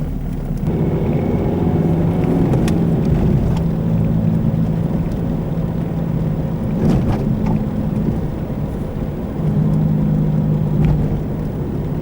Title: How to recognize the noise of a bad wheel bearing while driving